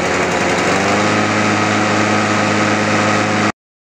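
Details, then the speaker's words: World GRL 530S mower with Loncin 196cc engine that would not start because the choke throttle was not closing. After the repair it starts and holds a steady, even buzz with no misses or surging, then cuts off cleanly: normal running. "możemy przystąpić do próby uruchomienia zobaczymy czy nam to pomogło"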